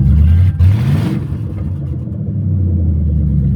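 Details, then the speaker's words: Mercury Grand Marquis after a cheap "cup" upgrade, at startup: engine catches with a brief rev and then settles into an even, steady low rumble with no knocks or misses; seems to run smoother. "I'm not going to lie. I think it runs smoother."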